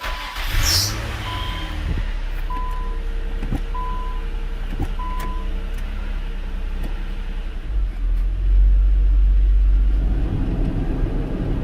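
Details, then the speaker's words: 2000 Nissan Maxima after driver-side CV axle replacement, running in drive with wheels spinning: deep steady rumble and drone, worn wheel bearings that still need replacing. "You can definitely hear the bearings. The bearings definitely need to be replaced in this."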